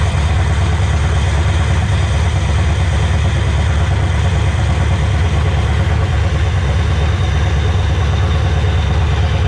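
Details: Chevrolet LQ4 6.0 V8, resealed and running on a stand with a newly installed Holley Terminator X ECU, radiator removed: loud, even rumble with a steady beat and no misses or knocks; normal idle.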